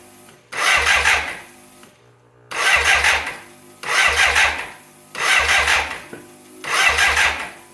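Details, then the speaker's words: 1985 BMW K100 that burnt and sat six years, being cranked after electrical repair with plugs back in; five short cranking bursts, starter spins but never catches; crank no start, traced to a fuel injection relay with something loose inside, to be replaced. "Okay, we got the bike torn down again, trying to find out why this thing won't start. Printed off a diagnostic sheet, booklet actually, from the internet, and started looking around, and I found a relay. Something was loose inside, so I'm pretty sure that doesn't work."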